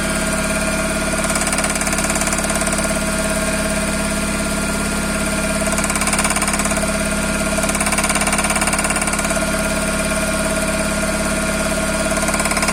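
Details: Toyota Corolla with 5E-FE engine at idle: regular light knock, about three to four a second, ticking evenly over the engine; cause unknown.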